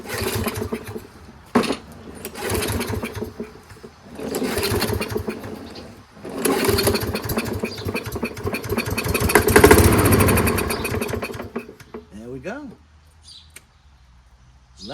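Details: Toro 22-inch Recycler Kohler mower, choke closed, started on 50% ether starting fluid before adding gas; coughs into a few short bursts, each fading before stopping, running only on the spray. Fires briefly then dies.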